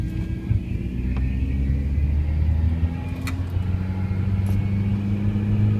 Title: Weird noise power steering